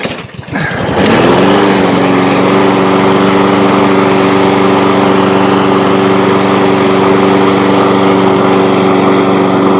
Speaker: But with the new set of rings in it and the way that it's running now, strong, sounds like a new mower, no smoke, no missing, I've got confidence that this engine is going to last a really long time.